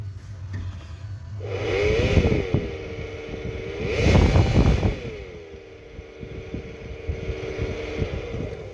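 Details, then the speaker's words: 2020 Hyundai Elantra blower motor, run out of its housing: wavering whir and rattly flutter rising and falling with speed, motor itself vibrating; owner suspects it got wet, to be replaced. "So it's the motor itself, because I can feel it vibrating inside here. So I'm assuming it got wet, and that would be the issue."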